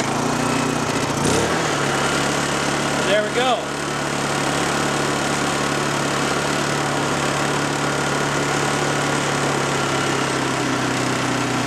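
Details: Honda EU2000i generator, about 8 years old, Mobil1 10W-30 synthetic oil, restarted with choke on after venturi/orifice cleaning: smooth steady hum with no surging or hunting; running normally again.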